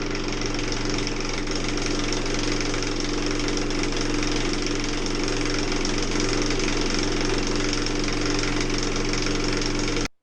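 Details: LG F14030RD washer-dryer, open casing, in spin after shock absorber replacement: dry uneven rattling knock — drying-fan impeller knocking in its housing after its left-hand-thread M4 nut loosened from earlier vibration.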